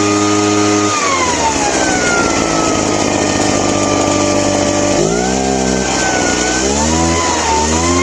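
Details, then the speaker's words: Craftsman two-stroke backpack leaf blower after a carb clean, on a non-adjustable carburetor: it drops to a low idle, then climbs slowly and unevenly back to high revs; it still runs rough and hesitant, cause unknown. "Yeah, it's to me it still sounds like there's something not quite right with it."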